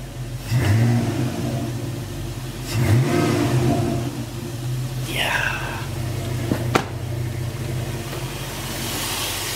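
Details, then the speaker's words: 1999–2004 Jeep Grand Cherokee WJ 4.7 at idle after replacing the leaking high-pressure power steering hose; steady idle with light blips and no pump whine or groan while turning the wheel: normal, quiet power steering. "So, uh, yeah, there was no, you know, no noise when I was turning the wheel. Oh, what a beautiful interior with the light. As you can see, there is, you know, no noise nothing."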